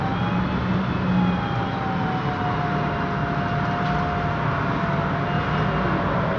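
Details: 2007 MAN Lion's Classic city bus, MAN E2876 LUH03 EEV CNG engine, Voith DIWA 864.3 4-speed automatic, recorded while driving: mid-pitched whine over the drive rumble, drifting slightly with road speed; a noisy rear differential is suspected, not confirmed.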